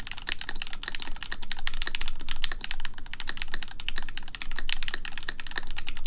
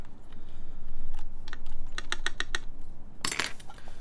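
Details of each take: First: 4398 full-size keyboard, aluminum plate, Gateron X R2 switches, lubed Staebies v2 stabilizers, spacebar screw removed with ABS spacebar: even crisp soft muted key clacks, looser and quieter than with screw; normal typing sound. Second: 4398 full-size keyboard, aluminum plate, Gateron X R2 switches, screw-in Staebies v2 stabilizers lubed with Krytox 205g0, spacebar screw installed: uneven keypresses, spacebar a dull flat clack; owner suspects stabilizer too tight, not confirmed.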